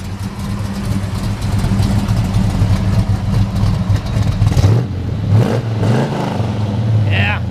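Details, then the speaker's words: 1971 Chevrolet Chevelle SS 454 with its original matching-number LS5 454 big-block V8, rebuilt with a mild cam, Edelbrock parts and dual exhaust. A deep, even rumble with no ticks, knocks or weird noises under the hood. Normal running. "but uh she's a runner I'm gonna head fire it up for you sounds great no weird noises under the hood"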